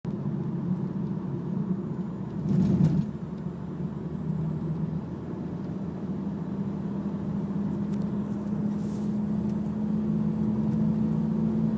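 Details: BMW E46 driving with a low droning hum under road noise, rising in pitch with speed, from the long driveshaft: driveshaft hum.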